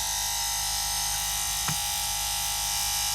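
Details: Bus's factory rear air conditioner fan motor, previously noisy, after dismantling and greasing the bearing wells, first test run: smooth, even electric whir with constant high buzz, no scraping or squeal; motor runs normally.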